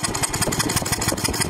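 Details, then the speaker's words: 1999 BMW E46 323i, M52TU engine, number two cylinder spark plug blown out of aluminum head, stripped threads, idling in neutral without plug: choppy uneven idle with sharp pops; misfire, possibly backfires; to be fixed with TimeSert insert. "first we'll start it up without the spark plug in so you can hear what it sounds like and it does drive like this so that sounds pretty bad"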